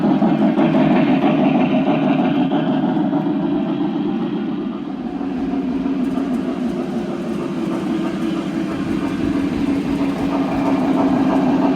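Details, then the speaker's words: Lionel TMCC Pennsylvania S1 locomotive from about 2000–2001 with original Odyssey board, pulling P70 heavyweight cars after gearbox maintenance and chuff repair: loud steady motor drone, gear hum and faint regular chuff at even speed, running well. "so i think so far the uh the mods and repairs and the semi-factory uh restoration here has been successful engines running"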